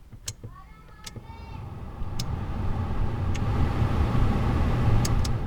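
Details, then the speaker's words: NA Miata (1990–1997) after replacing the broken HVAC controls, key-on test: a few clicks, then the blower spins up to a steady, even whoosh; fan control works properly. "okay the fan control works well the AC bulb doesn't work underneath I think but you can hear that working underneath it's clunking yeah that's working too"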